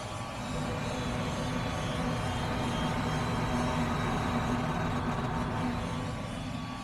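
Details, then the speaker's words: Gas furnace inducer motor running, 2.5 A against 2.8 A full load rating, so not over-amping; steady rough whirring drone with gritty hum, no clear knock; bearings suspected failing. "So, it's not over amping, but bearings don't sound great."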